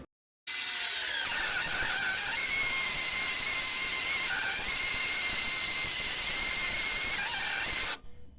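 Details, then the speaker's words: Land Rover Discovery electronic parking brake (EPB), rear: shrill sustained screech with wavering high tones about seven seconds as brake operates; owner reads shoes may need adjusting and greasing, inspection bung missing, cause unconfirmed. "however it it makes this horrendous screaming noise which is what mine's doing it sounds like I mean imagine you murdered 20 cats all in one go that's what it sounds"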